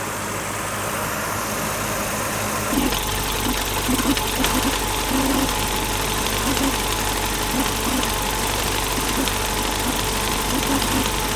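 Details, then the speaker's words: BMW E30 with new distributor cap, rotor and O-ring, under idle-issue diagnosis: even idle with a faint steady hum coming from beneath the distributor; source not yet confirmed, new distributor suggested. "I heard a bit of a humming noise at idle so I'm going to fire it up see if I can Rec create it for you guys and show you but it is coming directly from the distributor cap underneath the distributor"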